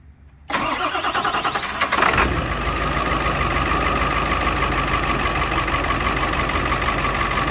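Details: 2001 Ford F450 7.3 Powerstroke diesel, warm day, after Hot Shot's Secret additive: short crank, then busy, slightly uneven idle; misfire at startup from one injector that has always been slow to start working.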